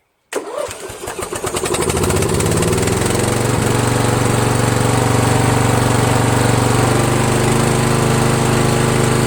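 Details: Toro Wheelhorse 1238XL lawn tractor, cranked after replacing its slow-turning starter motor with a used newer-style starter, battery at 12.7 V: brief quick cranking, then the single-cylinder catches right away and settles into a steady, even putter.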